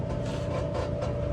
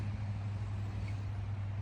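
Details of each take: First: Whirlpool WED5100HW0 dryer: a low steady rumble with a rough scraping rasp pulsing a few times a second as the drum turns; fixed by replacing the blower. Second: Whirlpool WED5100HW0 dryer running after a blower replacement fixed a scraping noise: smooth, quiet drum and blower hum with no rubbing, and it heats normally.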